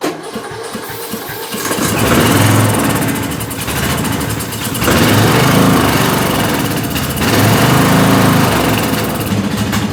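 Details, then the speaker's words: Bolens M762F lawn tractor with a dead battery, started only on ether. Catches, then runs rough with speed surging every couple of seconds. Owner suspects a gummed-up, clogged carburetor; gunk is visible on it. "Since it will only start on starting fluid, I have a good feeling that this carburetor is probably pretty bad."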